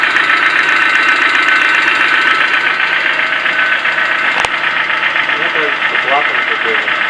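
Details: Petrol 4E engine running: quick steady ticking knock, roughly four per second, source not pinned down; owner asks what it could be, as though something rotating catches on something.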